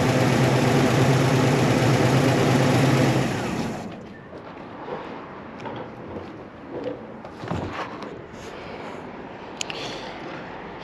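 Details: 1972 Chevy Malibu Chevelle SS tribute, 350 V8, mild cam, after tune-up fixed slightly off idle: deep even rumble held at fast rev a few seconds then cut, pulls smoothly; normal running.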